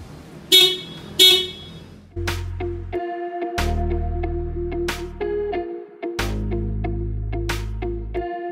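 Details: Honda Brio upgraded from single horn to dual horns wired through relay and fused battery feed: short test blasts then long steady two-tone honks with clear chord, BMW-like. Horn working normally.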